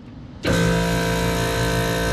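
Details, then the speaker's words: 2020 Lennox commercial rooftop unit on 460 V: contactor pushed in and the scroll compressor starts with a loud, steady droning hum, no pitch change; compressor running backwards from reversed phase rotation. "you get a distinct sound when they're running backwards and it's running backwards"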